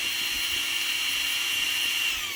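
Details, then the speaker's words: Motor run from a small 10 A lithium battery pack, drawing about 10–12 A at start and 4–5 A while running; voltage goes from 13.62 to 13.4, then settles at 13.57; a steady, smooth, high whine with no rattle or grind. Normal running. "अब हम इसको start करते हैं तो आप देखें इसके पहले 13.4 पर गए और उसके बाद 13.58 पर 57।"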